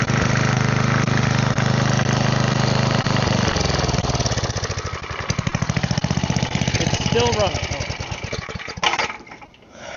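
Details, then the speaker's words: Side-shaft small engine for a go-kart after fuel line repair, running on a 2x4 with air filter off: fires up, steady putter, winds down at shutoff, smoking afterward; seems to run fine. "Don't know if that's normal, but it runs. Seems like it runs fine."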